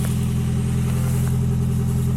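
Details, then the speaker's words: Toyota Yaris first generation 1.5 TS, driving: after a sudden bang, a steady deep loud rally-like drone from the rear silencer, worse on acceleration and very annoying from 80–90 km/h; exhaust leak at rear silencer, needs replacing. "a de suite alors on roulait l'autre jour et d'un coup on entend un claque et ensuite est arrivé ce bruit ce bruit légèrement rallye on pourrait dire vous pourrez trouver sympa mais c'est un peu gênant à partir surtout à part lors des accélérations et à partir de 80 90 et devient très gênant"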